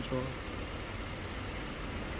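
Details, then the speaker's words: Kia K7 3.0 LPI, cold morning start: rough idle with uneven thumps, check light flashing, cylinder 4 misfire code; cylinders 5-6 misfire most, 6 with lowest compression (2,4,6 low); intake control valve suspected, head possibly. "처음에 딱 시동 걸면 좀 심하게 떨다가 추첨에 시동 걸면 이제 심하게 좀 떨고 체크 깜빡거리고 또 없어지긴 하는데 그래도 살짝 미세하게 구조로 남아 있습니다"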